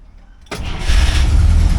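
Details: 1964 IH Travelall C1100 with new starter, running on the Scout's battery: quiet, then engine catches almost instantly and builds into a firm steady run; healthy crank and start.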